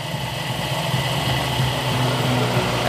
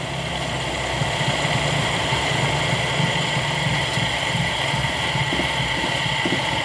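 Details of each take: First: Toyota Kijang 5K carbureted petrol engine after carburetor service, idle and air screw adjusted: steady, even, light idle with no vibration or hunting; ignition timing still being adjusted. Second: Toyota Kijang 5K carburetor petrol engine idling roughly with an uneven, lumpy low pulse; idle air screw judged too open by ear and turned in to get a stable, light, smooth idle.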